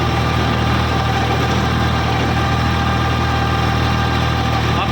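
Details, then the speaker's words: Eicher 557 tractor diesel at about 1600-1700 rpm, PTO engaged, first gear, 10-ft rotavator with draft and position levers down: steady throb with low droning hum, the normal dual clutch sound; engine sound fine. "ये घूंघ की आवाज सी आ रही है ना तो ये भाई इसकी ड्यूल क्लच की आवाज है। बाकी इंशन का साउंड सुनो आप। ठीक है। इंशन का साउंड बिलकुल बढ़िया है।"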